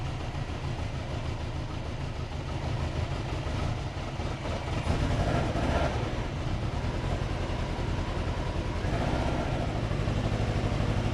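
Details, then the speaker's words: Subaru Forester jump-started off another Forester after a flat battery (three to four volts): lumpy, uneven low rumble stumbling irregularly, as if on three cylinders. Owner is pretty sure it is flooded; plugs came out wet with fuel. "All right. So, now we have a different issue. Pretty sure I've flooded it."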